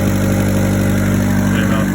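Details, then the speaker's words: Turbo Honda Civic after new exhaust downpipe gasket and O2 sensor refitted: steady, even engine hum with firm low note, no puffing or ticking from the front; exhaust sealed, leak repaired. "bad sounds like we have exhaust going out in the rear of the car again which is good"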